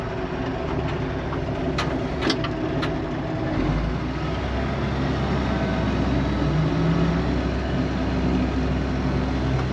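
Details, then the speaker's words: IH 915 combine, unmoved for about twelve years, diesel engine running while rolling: steady, even rumble with no knocks or misses; engine sounds healthy. "but dang that's pretty cool comat sounds healthy at least not quite feel ready but maybe we'll see here we go"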